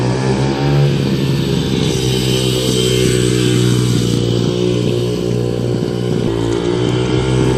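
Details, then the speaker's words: 2005 Yamaha 125cc dirt bike after fuel valve leak repair, yard test; idle piece broken, awaiting part: steady even firing pulses with crisp throttle blips, no knocks or rattles; sounds healthy. "However, I can just test it around here, and I'm going to have to order this broken piece so that I can work with the idling. Other than that, sounds great."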